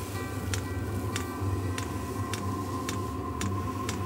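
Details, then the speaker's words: Kroak diesel heater for a camping-car, tested outdoors with the temperature set to about 15–16°C: sharp light ticks about every half second from the dosing pump over a soft exhaust rumble; normal start-up, pump noise reasonable. "la pompe qui fait un petit bruit mais c'est raisonnable quand même raisonnable je pense que dans la soute on l'entendra pas trop"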